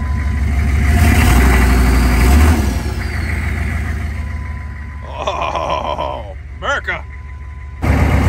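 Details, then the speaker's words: 2000 Chevrolet C3500 4x4 turbo diesel repo truck, turbo spooling; steady, even idle with a low regular beat, no knocks or misses, good oil pressure; normal idle. "the turbo's spooling nicely let me turn it down there so you guys can hear it"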